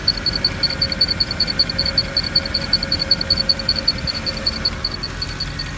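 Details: Mercedes E63 at a quiet idle with a light, high-pitched tick about two to three times a second; appears to come from one of the fans, source unconfirmed.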